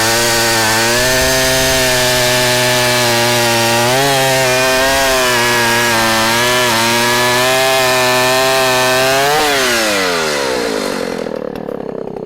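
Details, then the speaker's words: 44-year-old vintage Husqvarna L65 chainsaw, revived, cutting a big oak log: a steady, fairly low-revving howl with small dips under load, then winding down. Lower rpm than modern saws but lots of torque; running healthy. "this uh saw doesn't the rpms on this uh are not as fast as the current models of saws but it's got a lot of torque"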